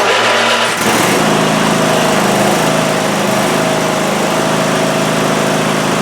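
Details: Cub Cadet ZT1 zero-turn mower that would crank but not start, after repair, started on choke: brief crank, then the engine catches and settles into a steady, even run with no misses or knocks; running healthy.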